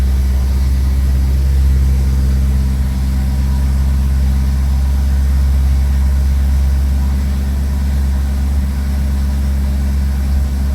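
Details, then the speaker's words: 1929 Cord L29 Cabriolet straight-eight, first start after seven months of winter storage, cold idle on choke; smooth, even low rumble with no knocks or misses, oil pressure about 38 psi, charging 10 amps. "Not too bad. Gotta keep the right balance of choke till it warms up a little bit."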